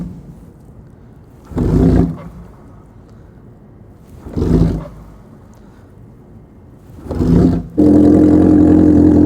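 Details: 1980 Kawasaki KZ650 LTD, carbureted, cold start at 25°F/-4°C with jump box on cold battery after priming kicks: three failed kicks with short bursts, then catches and settles into steady, even run; normal cold start.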